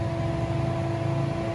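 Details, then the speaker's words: Wuling Air EV with modified AC timer: condenser fan and compressor restart after the 45-second pause, drawing about 8 amps; loud steady mid-pitched drone over low rumble, running normally but noisy. "Jadi setelah 45 detik dia hidup lagi AC kompresornya sama kipasnya."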